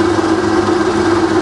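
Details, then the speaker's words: Rebuilt Bridgeport belt-drive milling machine after full service, quill feed running in high range: steady, even mid-pitched hum from the head with no knocks or grinding; the quill works fine. "so there we go there's the quilt working fine so as I say we're in a high range at the moment"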